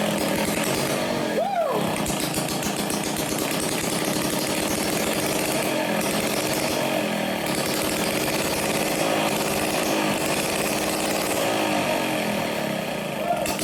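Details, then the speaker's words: Motobecane moped two-stroke, flooded in the cylinder and exhaust because the carburetor float needle wasn't stopping fuel, run with the exhaust removed: a loud, raw, steady rasp as it clears the fuel. "is one, however, seemed like the needle wasn't stopping and the gas was flowing in, and actually ended up flooding in the cylinder and exhaust."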